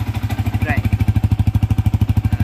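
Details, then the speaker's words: Yamaha FZ after replacing a burnt main coil that caused an engine drone resembling a bearing noise: crisp, even thumping at about eleven pulses a second with no drone over it. Normal idle; the droning is gone. "alright so betul tak guys bunyi tadi tu dah hilang bunyi berdengung tu dah hilang dah"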